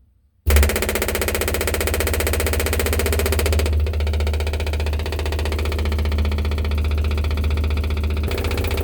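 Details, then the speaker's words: 1969 Pontiac GTO after FiTech fuel injection conversion, electric fuel pump running alone, heard from inside the car; steady, loud low droning hum at even pitch, louder than owner likes; loud electric fuel pump. "hey it's working it's a little louder than i like hey so here's the interior noise test i'm gonna turn it on yeah it's gonna annoy the crap out of me"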